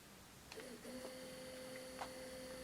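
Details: 1983 Sony Walkman WM-4 cassette player after repair, cleaning and lubrication, in play mode: quiet even whir with thin steady tone and soft clicks as play engages; tape transport running normally.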